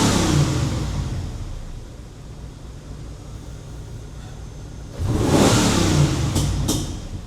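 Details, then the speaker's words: 1997 Chevrolet Camaro SS, low mileage, with a misfire other shops couldn't fix: a rough, uneven drone that surges and backfires when revved. Runs well above 3,000 rpm, so a flat cam seems unlikely; partially fouled plugs suspected. Misfire under revving. "What's that noise? It's kind of backfiring."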